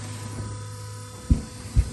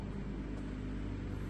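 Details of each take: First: Car running straight water with an electric water pump: loud steady low electric drone with a couple of dull thumps, louder than usual, coolant just bubbling with no flow; the electric water pump has failed and moves no coolant. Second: G-body car, electric fuel pump primed and running: a steady, even, loud hum with a low drone underneath and no change in pitch, a normal electric fuel pump running.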